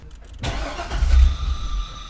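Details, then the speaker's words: Wrecked C6 Corvette Z06 after a new key fob battery: the starter cranks and the engine catches for a brief low rumble, then fades. It had never fired before, and the fuel pressure gauge showed no fuel pressure. "It wouldn't even like fire. Now it fired. Now it gave itself a little vroom."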